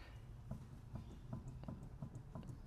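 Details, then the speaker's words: Holden VK Commodore, left-side racket on test drives, front jacked up and wheel spun by hand: soft rhythmic knock about three per second with wheel wobble; bearing suspected, found loose hub nut. "Can you hear that noise? There's a little bit of wobble in there. That wheel needs to come off and I need to check the bearings."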